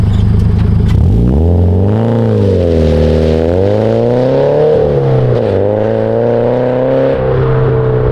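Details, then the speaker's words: 2013 Subaru BRZ with GReddy Evo GT exhaust, after a leak was fixed with a 2.5-to-3-inch adapter gasket and donut gasket; clean note rising and falling smoothly with revs, mild drone, no rattles or ticking; healthy sealed exhaust. "That sounds way better. No more leak. That sounds way better. That sounds so much better."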